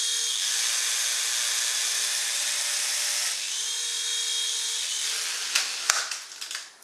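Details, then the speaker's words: Silverlit PicooZ Sky Challenger toy helicopter, LiPo battery probably weak: high buzzing motor whine that wavers and stutters out; it vibrates and never gains enough lift to leave the ground; cause not confirmed. "yeah it's not going to get off the ground don't know if you can hear it vibrating not it doesn't sound [Music] right"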